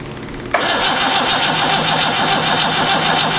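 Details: Land Rover 2.25 diesel, ice-cold engine after long storage, fitted in a Santana chassis, cranked after glow plugs and bleeding the injection pump: steady starter whir, even cranking beats about three a second, never fires; injectors 1 and 4 dripping, cause unconfirmed.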